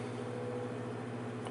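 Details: Vintage Arctic Air fan running after prying off painted metal hub cap, before hub cleaned and reattached: smooth even motor hum, steady low tone, no ticking or rattle; normal running.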